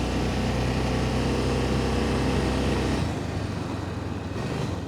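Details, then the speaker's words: 2005 Honda Rincon 650 ATV, 1,386 miles, 300 hours, warm, low on fuel: idles fine but at full throttle pulls off steadily then stays flat and labored, top speed about 15 mph; power loss from torn carburetor diaphragm. "Takes off fairly good, but that's all we got for power. That's full throttle."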